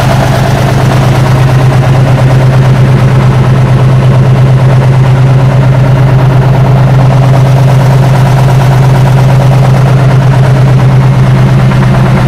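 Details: 1976 Tatra 813 V12 truck, restored after 20 years unused with new hoses, seals, oils and filters: loud deep even idle with a steady rapid firing beat, no misses or knocks; normal healthy idle.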